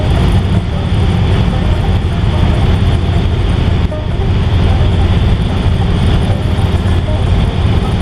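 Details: 1955 Ford driven on the road after an exhaust leak repair: a steady low drone under road and tyre noise, with no ticking, puffing or blatting. The exhaust is now nice and quiet, normal.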